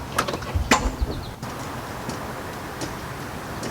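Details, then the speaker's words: 1991 Jeep Grand Wagoneer not started for several years, freshly charged battery: one sharp click on turning the key and no cranking at all; failed starter motor, fixed by replacing it with a new starter. "we're not giving anything and all out here is a single click here a single click"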